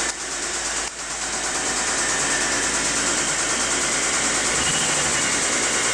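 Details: Mitsubishi 3000GT SL: steady light ticking about three per second over a smooth idle from start-up; owner suspects lifters but is not sure.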